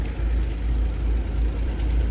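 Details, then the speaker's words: 1989 Ford crew-cab van: deep idle swells and sags about twice a second instead of holding steady. Suspected that the fuel tank isn't venting, line possibly pinched, still needs pumping. Surging idle, cause unconfirmed. "Yeah, it's definitely been pulsing like that. So we've been messing with it for a little bit."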